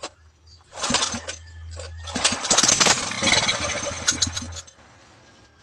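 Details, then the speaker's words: Small petrol generator engine, spark plug checked good, fuel poured in after carburetor work: catches on the pull, sputters unevenly a few seconds, then cuts out; runs, so carburetor work succeeded. "So umandar yung makina guys so ibig sabihin okay na yung ginagawa natin sa barbola."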